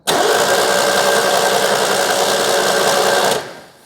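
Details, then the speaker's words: Citroën 2CV-based Falcon S kit car, abandoned 23 years, cranking on a booster with plugs out after WD40 in the barrels. Starter spins the twin freely at an even three to four beats a second, no binding; compression felt on both sides. Normal cranking. "sounding happy uh I've put my finger in this plug hole and felt compression both sides so hopefully that's it"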